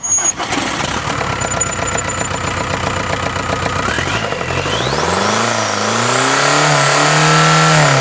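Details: Used low-mileage VW 1.9 TDI ALH diesel engine, complete with turbo and AC, run via a control box: rhythmic cranking about four beats a second, catches, pitch climbs smoothly, no knocks. Normal diesel start and rev.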